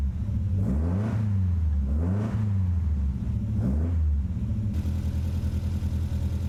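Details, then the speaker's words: 1967 Triumph Spitfire Mk3 engine on first start, cold day, blipped while warming up to check low oil pressure; settles to an uneven, lumpy idle suggesting a misfire; cause not confirmed. "let's warm her up and see what's going to happen to the oil pressure [Music] Miss firing"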